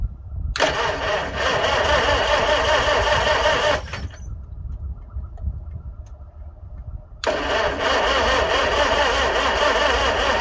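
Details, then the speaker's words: 1955 Farmall 300 row crop after sitting 14 years, first start attempt: steady cranking about two and a half turns a second, pausing and resuming, never catching; no fuel, owner will check timing, possibly 180° out. "it's not like she's trying to hit yet I may have to go ahead and double check that uh let's check the timing"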